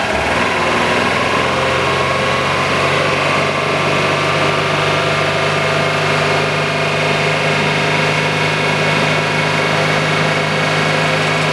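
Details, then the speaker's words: Subaru RS Liberty AWD turbo manual, parked 10 years, idling after suspected blocked injectors freed up through heat cycling and fuel pressure: even, smooth idle with steady hum, no misses, knocks or hunting; injectors now working. "you sound good that's good we're golden guys right on that's us injectors are working"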